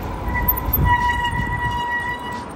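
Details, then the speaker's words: Forward Cyclone 26 electric bicycle, mechanical disc brakes: a steady high-pitched squeal over low rumble while braking; disc brake squeal. "единственное что да вот это тормоз он довольно скрипач когда вы тормозите слышите вот такой звук"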